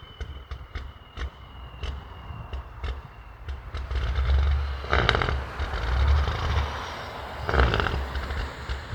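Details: Diesel big rig that was smoking badly, idling about 10 minutes with occasional revs: uneven idle with slow, irregular low knocking and deep rumble swelling on revs; it then drove off slowly with no power, cause not pinned down.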